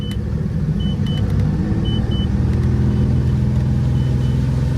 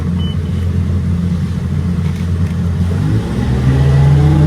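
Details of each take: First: Volvo Penta 4.3 GXi fuel-injected V6 boat engine under load after a fuel pressure regulator cleaning: deep uneven drone that never climbs, with backfire and failure to plane. Owner suspects failed sound-shield foam blocking the intake. Bogging under load. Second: Volvo Penta 4.3 in a runabout, repaired for lack of power, previously popping and limited to about 4000 rpm: strong steady note climbing smoothly at half throttle under planing load, no popping or stumbling; healthy pull.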